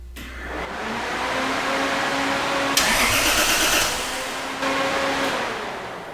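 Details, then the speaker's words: 2JZ-swapped 240SX after a relay was spliced into a starter signal wire that gave the solenoid too little voltage: strong, even cranking with a steady starter whine that holds up with the radiator fans drawing current; problem solved. "All right, so it seems to work."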